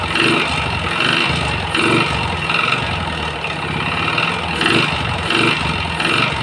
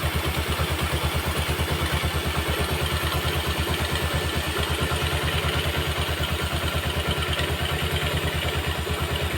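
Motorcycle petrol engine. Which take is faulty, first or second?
first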